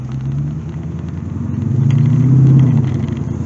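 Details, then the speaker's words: Crossfire-injected C4 Corvette, hot engine: idle surges and rumbles unevenly, missing once up to temperature after running well; owner suspects heat-related fault, bad gas ruled out, fuel pressure gauge being fitted. "Yeah, there she goes. No good. So we're going to put a fuel pressure gauge on it and see what she's doing."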